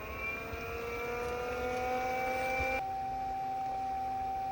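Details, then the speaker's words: Aquastrong 3 hp variable-speed pool pump on speed 1 at 1,300 RPM, after self-priming mode: quiet, steady motor hum with a clean whine settling to one constant pitch, no rattle or grinding; normal whisper-quiet low-speed running. "this is speed 1 at 1,300 RPM. You can hear it's pretty whisper quiet, especially if you're more than just a few feet away from the pump itself."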